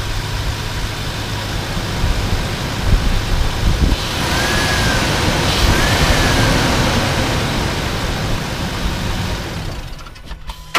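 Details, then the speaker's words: 2004-2008 Ford F-150 petrol engine described as healthy with good oil pressure and no oil loss: fires right up and idles with a steady, even low hum, no knocks, misses or hesitation, no check engine light; normal idle. "heard how we're fired right up no problems no hesitation no check engine light it sounds good sounds smooth so that's how it should sound"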